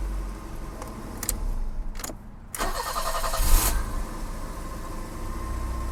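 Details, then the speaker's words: BMW E30 after a control module was replaced, not yet retimed: brief crank and catch, then a smooth, even low idle; idle much better than before. "let's fire this bad boy up see what happens you ready well it's idling better already it's definitely idling substantially"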